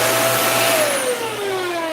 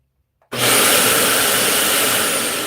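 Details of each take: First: Dyson UP19 upright vacuum after a part replacement, still faulty: a clear high whistle over the motor hum sinks in pitch as the motor slows; air leaking past a missing filter gasket. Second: Dyson UP19 upright vacuum running with the filter removed: loud, even rush of air, steady with no whistle on top; clean normal run, confirming the whistle came from a gap at the filter.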